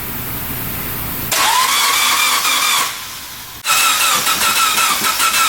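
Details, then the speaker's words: Honda Element with a swapped K24 and AWD 5-speed, first start after the swap: two long spells of steady, fast starter whirring with a pause between, never catching; the owner suspects long-unused injectors need time to squirt. "it a second give it a set it wants to start I bet those injectors haven't fired and so long it's gonna take a minute to get them to squirt"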